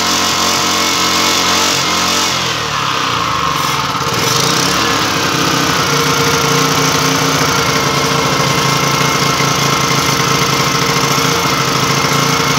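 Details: Yasuka generator engine started after a long time unused, tested after a spark plug check and electrode gap adjustment: a steady, even small-engine drone with a constant beat and no misses or surging. It runs cleanly; fuel hose connections still need finishing.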